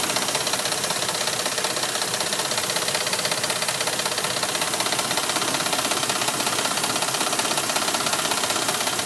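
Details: Dodge Ram 1500 gas engine at idle: sharp, fast, very regular ticking at two to three per second, loud and diesel-like. Valvetrain tick suspected.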